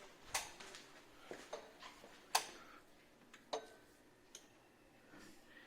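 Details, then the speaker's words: 2007–08 Nissan 350Z HR engine, cooling fan active test: sharp irregular relay clicks with no fan whir following; relays switch but radiator cooling fans never turn on, fans or relays suspected. "I can hear the relays clicking but I do not see the fans turn off which is what we want I don't see any of the fans turn on yeah none of the fans ever turned on"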